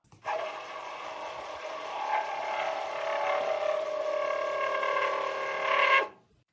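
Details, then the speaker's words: Commodore 4040 dual floppy disk drive: shrill steady screech over a whirring spin for about six seconds; fine for first seconds then screeches, worn drive motor, likely carbon brushes. "It didn't in the beginning but very quickly started to screech. For the first couple of seconds it's usually fine then it starts getting terrible."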